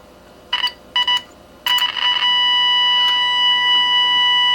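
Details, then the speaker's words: AM/FM radio tested with Tenma signal tracer: short beeps then clean steady ~1 kHz injected tone through speaker; stage and everything after it working. "and what that tells us is that everything from that point to the right is working"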